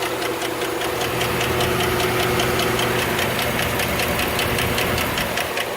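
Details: 2008 Chevrolet Suburban idling: rapid, even ticking about two or three per second over a steady idle, a lifter tick from the valvetrain.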